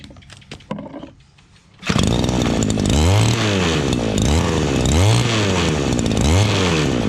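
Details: Two-stroke shoulder-strap brush cutter that would not start, after fuel, spark and air filter/carburetor checks: a few clicks, then it fires up and runs strongly, revs rising and falling.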